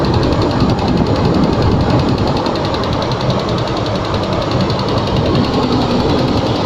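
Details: Range Rover II, cold engine: a rapid knock of about four per second over a rough cold idle; knocking when cold, cause unknown.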